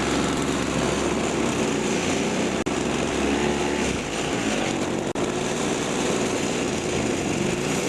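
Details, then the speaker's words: Toro two-stroke snowthrower test run after replacing the carburetor diaphragm with a complete carb kit: steady high buzzy speed with no surging or misses; runs normally after repair. "I finally got it, so I've got it all back together and I'm gonna give it a test run."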